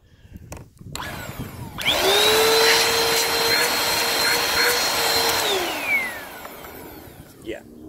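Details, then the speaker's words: Bissell PowerForce Compact 1520 vacuum (made December 2016): motor spins up to a high whine with little airflow because the lower hose is visibly clogged; otherwise seems fine, brush spin unchecked. "okay so this lower hose is clogged well that's very clawed I can see that in there"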